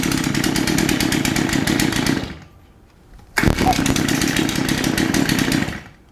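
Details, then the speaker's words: Shindaiwa AH242 hedge trimmer after tune-up, cold start on choke: starts on first pull, settles into fast steady two-stroke buzz, briefly cut then restarted; runs clean and even while warming up. "give it a minute to warm up starting on the first pole is a good sign oh"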